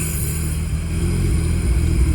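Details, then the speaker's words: Nissan R33 sedan mid turbo conversion, 1000 cc injectors, external wastegate, fuel lines swapped, not fully plumbed, exhaust on: very smoky first start with a heavy, lumpy low rumble that wavers and surges; runs poorly with air flow meter unplugged. "but it doesn't run very well one because the afm isn't plugged in"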